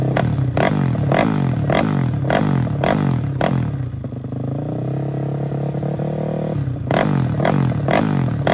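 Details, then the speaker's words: Custom 300cc big-bore stroker Honda Grom engine with billet block runs lumpy and hunting with uneven pulses near two per second; tune not yet sorted and it still stalls when cold. "so I got to work on the tune it's still kind of stalled when it's cold but I'm really just starting it and getting it running right now"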